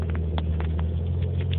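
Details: Nissan 300ZX at idle: low rumble with uneven pattering and small stumbles, a rough idle of unknown cause; code 55, running very lean; IACV, timing and TPS were corrected, a faulty injector replaced, vacuum lines inspected.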